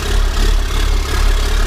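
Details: 1991 Ford F350 with CAT 3126 diesel swap, started after new oil pump install fixed hard-start issue: deep, steady diesel rumble holding an even beat at idle with no knocks or rattles; healthy-sounding idle.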